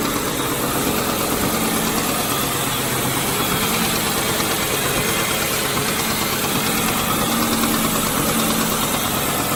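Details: 2002 Ford Mustang GT V8 idling steadily with a light, quick ticking/knocking noise running through the engine; cause unknown.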